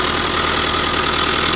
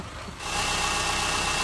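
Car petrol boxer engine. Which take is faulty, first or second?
first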